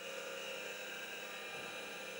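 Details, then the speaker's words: IBM PC (4.77 MHz) at power-on, old hard drive powered: a quiet, steady high whine with a faint hum as the platters come up to speed. A normal, healthy spin-up. "So we'll hear that go unless we get sparks. Okay, the hard drive is spinning up. That's cool."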